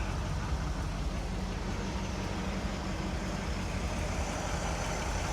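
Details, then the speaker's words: 1976 Cadillac Eldorado Biarritz V8 at idle on its first start of 2025, just after an oil change, oil slightly overfull, no oil light: quiet, smooth, steady low rumble with no tapping, misses or knocks; normal idle. "Listen for any badness. She sounds nice and quiet to me."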